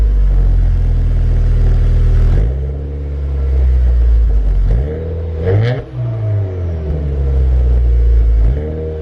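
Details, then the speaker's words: 2014-2018 Subaru Forester XT with built turbo engine (GTX29 turbo), Perrin headers, catless downpipe, and new Invidia Q300 catback, revved: deep, smooth, very quiet drone with no ticking; a suspected exhaust leak was not found with soapy water. "So first off, I thought it was going to be at least a little bit louder, but holy crap, this is super quiet."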